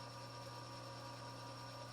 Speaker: i'm going to engage it and let my auto feed run you can hear that wall that wa it's because it's not even